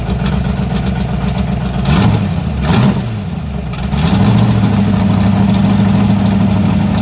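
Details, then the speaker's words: 1986 Mustang GT 5.0, B303 cam, speed-density stock EEC, ported E7 heads, 19lb injectors: lumpy idle with a couple of short throttle blips settling into an unsteady lope; rough idle, owner blames the cam and speed density not getting along. "it does not sound fantastical and uh to be perfectly honest the um speed density and the b cam you know they ain't getting along too great"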